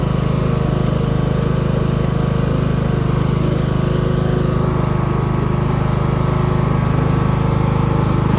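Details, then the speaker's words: Craftsman LT1000 mower engine, being built as a mud mower: steady, slow single-cylinder thump at full throttle, not smoking, just burning off oil and probably water; estimated around 2000–2500 rpm instead of about 3500, so running underspeed, cause not identified. "so if you can hear it i don't believe the engine is running at the highest rpm if it's supposed to run at like 3 500 it's probably running around 2 000 2500"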